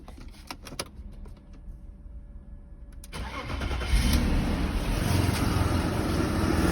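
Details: BMW E39, cold start: starter cranks, engine catches and a quick ticking knock, roughly four a second, rides over the cold idle: cold-start engine knock.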